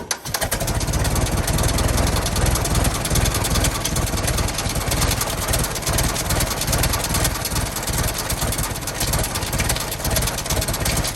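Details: 1916 Federal Motors truck small four-cylinder, first run after 50-60 years, bottle-fed fuel, block not yet warm, no coolant as radiator leaks: fairly steady low idle, no knocks or clatter; normal idle.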